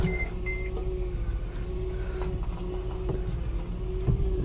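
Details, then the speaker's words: 2008 Mercedes GL450 after power steering pump replacement, engine idling: steady idle with faint even pump hum, no whine or groan; steering turns much easier, noise gone, normal. "so much more easier to turn the steering wheel now. No more noise. All good."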